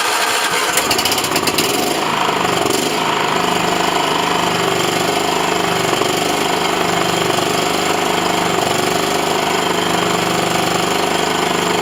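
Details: John Deere L110 mower's small engine after a carb clean without full strip-down and a second oil change; it cranks, catches and settles to a steady busy idle with no backfire or stumble. Normal start and idle.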